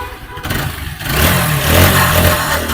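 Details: TVS Apache 4V motorcycle after full engine rebuild (piston, bore, valves, timing chain, rocker, camshaft, main bearing replaced): engine blips and settles with steady even note, no knocking or rattling; normal running.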